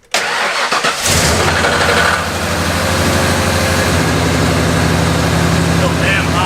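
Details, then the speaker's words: Abandoned 1997 Ford F250 after brake repair: catches quickly, settles into fast even idle around 1500 rpm that never drops; idle too high, owner suspects stuck idle air control valve or computer relearn needed. "We're still idling high, much like I suspected. It might just need to learn with the computer, but it's pretty damn high, like 1500."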